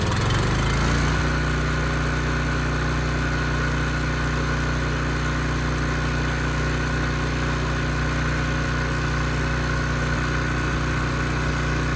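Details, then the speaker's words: Ridgid generator with Yamaha MZ360 engine, about 10 years old, after repair, under a 3,000 watt load: steady even drone holding speed without hunting or misfire; engine speed held at 60 Hz; normal running under load. "And even under a 3,000 watt load, it sounded great. The engine speed was still good."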